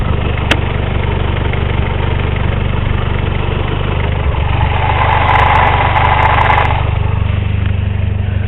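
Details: 1984 Honda Accord with straight-pipe exhaust at idle: uneven lumpy idle with tapping/knocking rhythm about three beats a second, engine shaking badly; cause unconfirmed.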